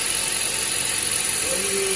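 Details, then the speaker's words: 2010 Honda Fit after the fix for a cold-start accessory belt squeal, done by loosening and realigning the AC compressor: a steady, even engine whir with no chirp or squeal. The belt now runs quiet and true. "Resolvido. Pequenos detalhes, né, galera? É isso aí, agora o rondinho aqui, ó. Tá funcionando 100%."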